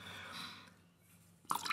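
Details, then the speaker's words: Cold-water aluminium composite pipe being filled for a pressure test: after air rushes out, a few wet drips land. Water leaks from a press fitting that was never pressed. "Und jetzt seht ihr hier ist es undicht, hier tropft es jetzt. Und jetzt tropft das, weil die im unverpressten Zustand undicht sind."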